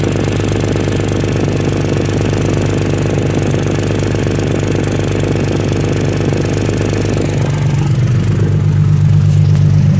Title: exhaust leak 1